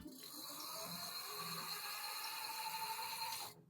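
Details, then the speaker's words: New Lectric XPedition 2.0 cargo e-bike hub motor, stationary: smooth steady high whine spinning freely, no grinding or clicking; as powerful as the old motor but quieter, normal running. "Motor still as powerful, but quieter on the new one. This is the sound of the new motor."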